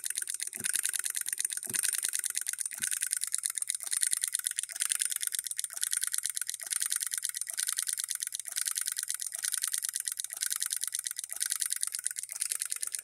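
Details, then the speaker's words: Handbuilt Coilmotorworks model solenoid hit-and-miss engine running at 24 volts, unloaded: sharp clicks about once a second with uneven gaps as it coasts between firings; hitting and missing as it should. "so right there we are at 24 volts listen to this it is hitting and missing"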